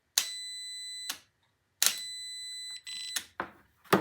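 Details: Starter solenoid bench test with the battery grounding the solenoid body and the ignition switch energizing the coil: the multimeter across the battery and starter lugs gives two steady one-second continuity beeps with clicks between, so the contacts close normally.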